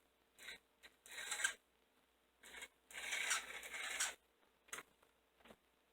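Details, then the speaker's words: Old model locomotive (060) motor after adjusting the brushes: intermittent high, scratchy chirping squeal in short bursts like an angry chipmunk; bottom bearing needed oil. "hmm sounds like an angry chipmunk"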